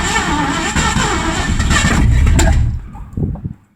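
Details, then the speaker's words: 1984 Mazda RX-7 with swapped Ford V8, sat 8-9 months: rough cranking catches and roars, then sharp pops as it dies, backfiring through the carburetor; owner plans to address carburetion and ignition timing. "So, we're getting somewhere. Backfiring out the carburetor."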